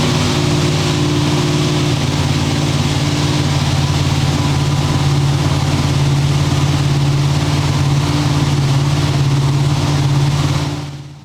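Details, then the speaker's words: Engine running on the dyno after its timing mark was found 20–25 degrees off and re-marked at top dead center; revved to check. Strong steady even drone with no knocks, misses or stumbles. Normal running. "Alright, so now I'm just going to rev it up, just make sure everything sounds good."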